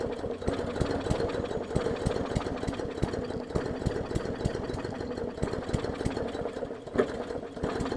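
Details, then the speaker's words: 2014 Bolens push mower with Briggs OHV engine, leaky needle and seat; very flooded, rough stumbling idle with uneven firing pulses and stutters while purging fuel; running rich. "i think it's literally just so much fuel it got in there that it's just trying to purge it out which i kind of needed to do that anyways"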